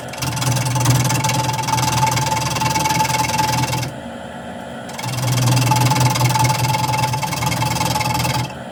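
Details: Wood lathe turning an off-center square blank for a pedestal tray: steady hum with harsh rattling chatter across gaps between corners; interrupted cut noise.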